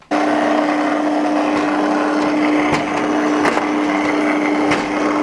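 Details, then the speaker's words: Electric roller shutter motor, weak and short of force: steady strained hum with occasional knocks as the shutter rises slowly, only about 5 cm without being helped by hand; suspected capacitor fault (unsure), so the whole motor is being replaced. "suis obligé d'accompagner le volet pour qu'il remonte tu vois c'est comme si comme s'il avait plus de force"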